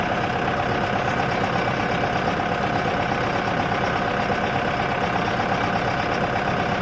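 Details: Boat engine bought for a 1967 Mustang fastback budget build: fairly steady knock, roughly three a second, over the running engine; deep internal knocking, owner thinks it's junk.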